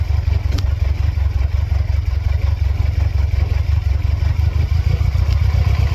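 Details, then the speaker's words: 1999 Mercedes-Benz C230 Kompressor W202, flashing check engine light, restarted with MAF and idle air control reconnected; low uneven idle pulsing about three beats a second, near stalling, throttle response back, later stalls under load; rough idle, cause undetermined. "Low idle at first, trying to figure out what's going on. Changing a little bit. Have throttle response back. The engine's still having a very hard time."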